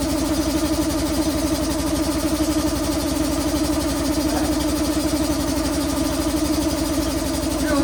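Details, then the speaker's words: Robot boxing machine's small single-cylinder engine, sitting about a year on old gas, pull-started because the electric-start battery is dead: steady, even putter while warming up, no misses or knocks, running normally. "but the pull start worked, and we're going to let it wa"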